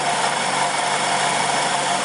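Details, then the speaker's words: 2001 2.4 engine first start after head job and timing belt replacement, at idle; steady even hum with no knocks, misses or ticks; normal idle. "we'll see if it will crank over well there we go it's running sounds pretty good"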